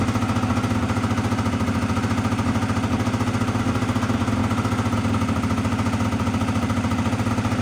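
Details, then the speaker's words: Honda Dio 100cc two-stroke scooter project, first start; fast, steady rattle holding well above a normal idle with no dip, owner notes revs too high: high idle speed. "[оплески] [музика] за великі обороти ть"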